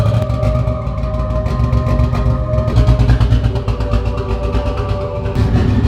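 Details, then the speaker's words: 1998 Nissan Skyline GTT, stock RB25, new Walbro 525 fuel pump, after jump pack and cleaned spark plug; uneven lumpy low rumble with irregular loping pulses under faint whine, running rough, first drive on own power; fuel lines leaking, cause unconfirmed. "She ran, yeah, but it doesn't run great. But it's out of the garage for the first time on its own power."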